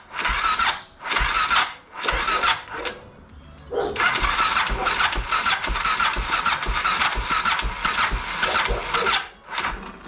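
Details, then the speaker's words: BMW F650 (Rotax 652cc single) cranking after its carburettor was rebuilt and refitted; sharp hissy starter whirr in bursts, engine not catching; owner suspects the starter clutch has gone, starter freewheeling, replacement planned. "and then also it sounds like the starter clutch is also gone now so I'll have to replace that"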